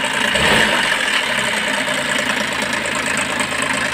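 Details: Idling DA64 engine in a Transformer, said by the owner to be newly overhauled, with a harsh, gravelly rattle from the timing chain; the engine runs very hot, and the radiator was checked and is fine. Fix: retiming the engine.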